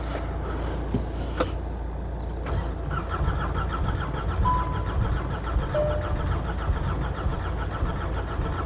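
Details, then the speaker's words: VW Golf GTI Mk6 under rebuild, cylinder one with no compression, others good, little fuel, possibly weak battery: starter turns the engine over at a slow, steady rhythm but it never catches; crank, no start. "It wants to go, but it's just something stopping it."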